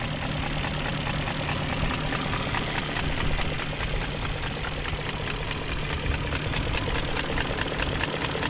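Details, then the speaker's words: 2001 BMW E38 740i after timing chain guide and tensioner replacement with new gaskets and seals: steady even idle with light quick injector ticking, no smoke from exhaust, no knocks or misses; normal idle. "no smoking at the exhaust and i hear the injectors"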